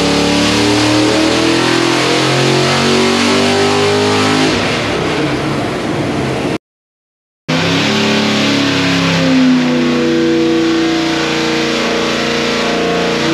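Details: 408 ci small-block Chevy "Project Sleeper" on the dyno, with a ported Holley Street Dominator intake and 800 CFM Quadrajet, after a distributor swap ("much better"); hard, steady high-rev howl under load with no breakup, ignition firing cleanly.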